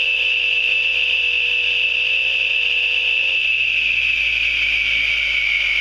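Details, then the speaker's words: Radial arm saw, refitted with a new arbor nut, washers and blade, running unloaded from an 1800 W inverter fed by batteries: steady, even high whine with no knocking, rubbing or wobble. It spins up smoothly. "Sounds good."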